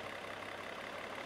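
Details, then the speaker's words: Mercedes with Bosch K-Jetronic injection, engine 40-45 years old, after fitting new fuel injectors, hot start after sitting 20 minutes, where it previously had problems: catches straight away, smooth even idle, no stumble or hunting. "it started right up and Idols fine listen to that baby"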